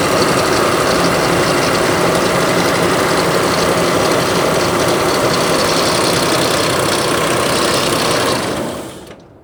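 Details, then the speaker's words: 2006 Ford Explorer XLT V6 idling with heavy metallic clatter and clacking, light knocking on the bottom and clattering up top, then shut off; suspected oil starvation with worn bearings and multiple internal damage. "I'm gonna let it idle for a few seconds and you can just hear, there's not just one or two noises, it's a plethora of multiple things clattering and clacking. It's really bad."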